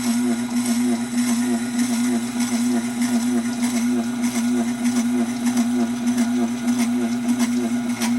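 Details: Tormek SG-250 grinding stone sharpener running; steady low hum with an even throb about 1.5 times a second plus faint scraping; still sharpens but owner is puzzled and doubts it should sound like that; abnormal running noise, cause unknown.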